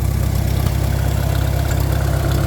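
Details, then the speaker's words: Warm old tractor that has been idling a while, hydraulics warming with a slight hydraulic leak, late December; steady, even low chug with no misses or knocks; idling smoothly. "We're back down here at the farm hole, which has been running this whole time."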